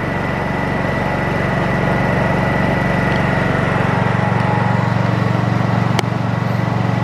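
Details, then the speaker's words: Brand-new Honda EU2200i inverter generator converted to propane with a Hutch Mountain kit, never run on gasoline, first start: soft even low hum, steady beat, no misses, very quiet in eco mode, then three-quarter mode; normal running. "there's flat mode i don't know what's going to sound like on camera but it's very very quiet three-quarter mode"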